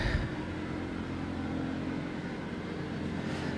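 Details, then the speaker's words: Badly installed heat-recovery ventilation unit shaking hard, measured over 70 dB, bypass wouldn't open: loud steady low drone with shaking rumble. "Tutaj mamy jednostkę która zachowuje się jak stopa do zagęszczania, bo aż się trzęsie - nie wiem czy z głodu czy chce mu się pić :D Mierzyłem poza kamerą głośność rekuperatora jest bardzo wysoko przekracza 70 dB"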